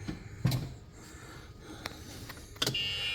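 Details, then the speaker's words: Club Car golf cart on first shop test after a battery system conversion, forward selected: a couple of sharp clunks, then a thin, steady high whine holds as the drive engages and pulls normally. "Oh, I hear it engaging."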